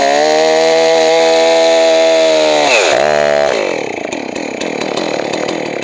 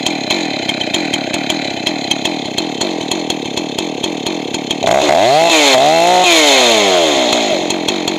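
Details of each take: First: Johnson Red 670 chainsaw after a Tillotson two-stroke carburetor rebuild and high-speed mixture adjustment: strong, even high-revving buzz that holds steady, then dips and winds down cleanly; runs smooth and healthy. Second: Johnson Red 670 chainsaw with rebuilt Tillotson two-stroke carburetor: pops at idle, then high-speed screw set lean so it screams high and thin, then richened so pitch drops; should end slightly rich since lean worsens with use.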